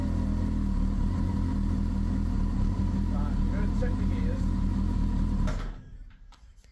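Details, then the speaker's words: 1999 Honda Hornet 600 inline four running for the first time after a zener diode and resistor were wired into the anti-hotwire pink wire to cure a no-spark fault; it ticks over smoothly and evenly with a steady low hum before shutoff, sounding healthy. "Oh man, I'm so happy. It's first time we've had it running if you can't tell."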